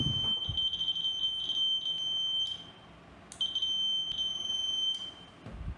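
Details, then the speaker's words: VLF metal detector powered by a 9 V battery sounds a long, steady high-pitched beep even though no metal is near it, a continuous false alarm. "आप देख सकते हैं कि इसमें लगातार beep की आवाज़ आ रही है, जबकि इसके पास कोई मेटल भी नहीं है।"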